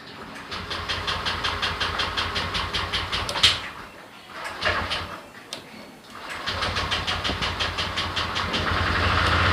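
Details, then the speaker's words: Honda Click 125i scooter hard to start and won't accelerate, dying when throttled; engine churns with a slow even pulse, stops, churns again without catching cleanly. "ชอบสตาร์ทยากเร่งไม่ขึ้นนะครับเราไปทำอะไรๆง่ายๆนะฮะโอเคร้องสตาร์ทอัพนะครับตอนยากเนี่ยอากาศนะครับ"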